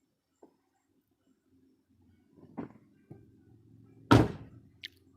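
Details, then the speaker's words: 2006 Buick Rendezvous left rear door after fixing its rattle by realigning the panel clips with their holes: one solid, clean thud as the door shuts, with no tinny buzz or rattle after it. "Good, there it is, the way the factory meant it to be. Do it again, do it again. Thank you. No more tinny rattle."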